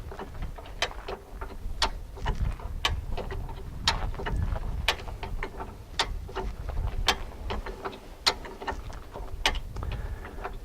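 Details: Jeep jack raising the vehicle under the bumper to lift the tire about two inches off the ground: crisp ratchet clicks about once a second with each handle stroke, even and clean; the jack is lifting normally.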